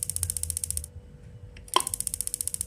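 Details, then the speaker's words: Paloma gas water heater, no flame because gas cannot enter: rapid ticking, a sharp snap as the gas valve solenoid springs back before the microswitch acts, then ticking resumes; no holding click, solenoid not holding. "Langsung balik itu sudah tadi jebret. Nah, tidak ada kan terdengar cetuk ya. Karena ini tadi sudah nyepret duluan enggak kepegang."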